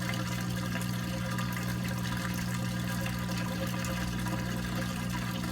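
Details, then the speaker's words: Maytag washer in diagnostic test cycle: steady low drain pump hum with water rushing out, even and unbroken; pump empties tub normally before spin (previously faulty pump failed to drain). "it needs to fully pump all the water out and then it'll speak if your pump is faulty like mine was it actually won't pump all the water out"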